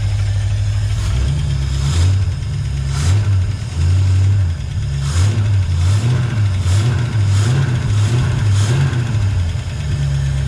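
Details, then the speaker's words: 1965 Mustang V8 after oil stabilizer was added, oil at the safe mark: revs up and down repeatedly with a tick and a deep knock on each rev; rattle seems to come from one side of the block, not the head; suspected bad bearing. "oh man you can hear a rattling in there now definitely feels like it's on this side i can't feel it in the head"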